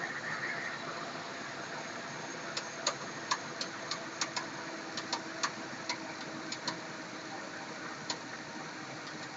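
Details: 2007 GM 5.3 L33 V8 idling: sharp, uneven ticks at about 88 a minute over a steady hum; engine knock.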